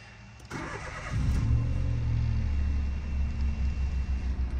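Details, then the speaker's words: Citroen C1 with full service history, 103,000 on the clock, low on fuel: brief crank, catches cleanly, settles into steady even low idle with no knocks or misses; engine sounds lovely, though clutch feels light. "the engine sounds lovely it's just a clutch feels a bit and then I never had a C20 before but the car drives absolutely fine"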